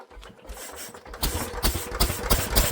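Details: Old Lister engine, first run in many years after sitting, throttle held open with a stick: cranks, catches and fires in quick, fairly even pops picking up speed; healthy engine coming to life.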